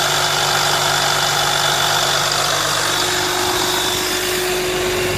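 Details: VMAC VR70 under-hood air compressor on a truck, feeding a rear hose reel: loud steady roar with even hiss over the running engine, no knocks or surging; compressor pumping normally.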